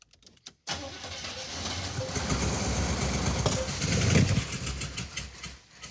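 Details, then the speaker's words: Hauler with Quadrajet carburetor and dual tanks: catches and runs rough a few seconds on poured-in fuel, then fades; no fuel reaching carburetor, tanks, selector valve and fuel pump unverified. "Why doesn't it want to run? Well, it's pretty apparent it doesn't have fuel going to the carburetor."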